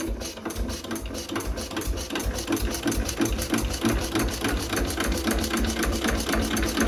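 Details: 1920s Renée single-cylinder stationary engine, not run for years, low compression suspected from stuck rings; now running, chuffing about three beats a second, fairly even firing with light mechanical clatter; normal running.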